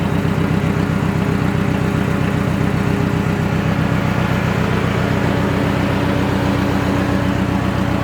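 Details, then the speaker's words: Budget Mercedes-Benz project, first run after cleaning corroded terminals, no exhaust fitted: loud, raw, rapid even popping at idle with heavy low rumble and no muffling; loud idle with no exhaust. "so see what it sounds like yeah it's loud no exhaust yeah here goes nothing"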